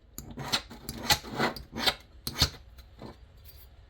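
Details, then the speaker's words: Rockwell-rated 55 test file on a Yamaha jet ski drive coupler tool: light scraping rasp about twice a second, file skating without biting, so the steel is harder than 55; the 60 file later bites. "Still skating. Still skating. Skating."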